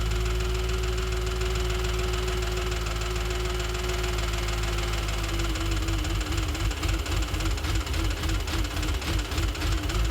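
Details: 2007 Audi S4 at steady idle after a full timing chain job and new clutch and flywheel: a fast, light tick about three per second over the engine hum; source not yet found.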